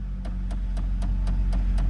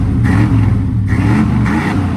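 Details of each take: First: Square-body Chevy truck with 172,000 miles, just jump-started from a dead battery: a sharp regular tick about four times a second over a steady low idle rumble, likened to a typical Chevy tick; otherwise idles great with no check engine light; cause unconfirmed. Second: 1995 Chevy Silverado 1500 extended cab flareside at auction; two quick throttle blips raise a deep V8 burble that falls back toward idle, clean and even; sounds good, normal free rev.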